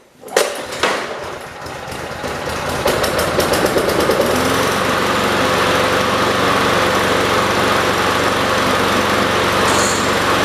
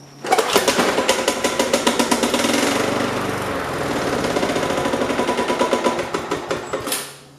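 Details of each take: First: Yard-sale Weed Eater (MTD) push mower on old tank fuel after gummy fuel problems: a few sharp pull-start attempts, then catches and settles into a steady, even run; running normally. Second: Yard-sale MTD/Weed Eater push mower, cold start after priming: sharp regular knocking right after startup that clears once running; owner unsure if rod knock, cause unconfirmed.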